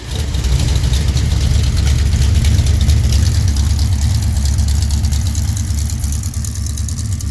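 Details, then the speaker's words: Pontiac 428 V8 with three two-barrel carbs and Comp Cams hydraulic roller cam (224/230 at .050, about .502/.510 lift), cold start with choke closed on the fast idle cam: steady, even, deep, smooth rumble with no knocks; healthy cold fast idle. "Right now it's up on the fast idle cam on the carburetor,"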